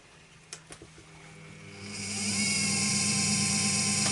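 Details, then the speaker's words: New Charnwood mini wood lathe, just unboxed and switched on: soft-start motor spins up smoothly over about two seconds to a steady even hum with a clean whir; healthy, quiet running. "I've just switched this on and found it's also a soft start on it."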